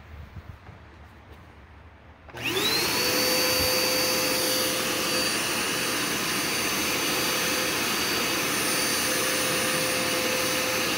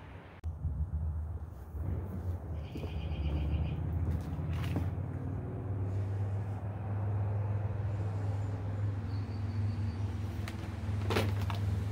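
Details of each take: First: Curbside-found Dirt Devil Endura Max UD70175 vacuum after brush roll and belt refitted: motor spins up quickly to a steady high whine with even airflow rush, no rattles or surging; running normally. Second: Dirt Devil Endura Max UD70175 upright vacuum with belt in good shape: steady low motor drone that never changes pitch, straining; running with the hose clogged by a metal-wrapped fake tree branch.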